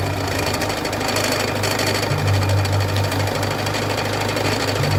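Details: Peugeot 206 1.4 HDi diesel idling with a heavy, uneven rattling knock over the engine note, caused by a damaged crankshaft pulley.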